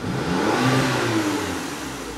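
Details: 2010 VW Tiguan 2.0T with P1545 throttle valve controller malfunction (no throttle response, stalling), throttle blipped with known-good sensor readings. It revs cleanly and settles smoothly; paper towels were found stuffed in the charge tube.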